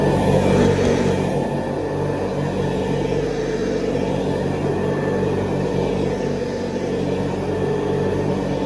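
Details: 1970s Hoover Convertible upright vacuum, recently rebuilt, re-lubricated and cleaned, with new bristle strips and a 12-blade metal fan, on high over carpet: a steady, smooth motor drone with an even hum, no grinding or rattle; normal running.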